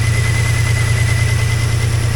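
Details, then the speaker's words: 2003 Mini Cooper after long sitting, warm idle, charging 14.26 V: steady high squeal over an even idle; a pulley is making a noise, thought adjustable, and belt is off the air conditioning compressor. "the belt is off of the whatever you call that thing one of the PES making a hell of a noise there I'll find that that'll be adjustable anyhow"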